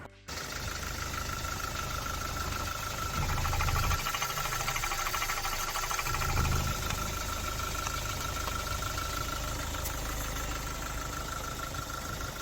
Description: 2009 Hyundai i30 diesel unfortunately got a bit of a knock to it after being low on oil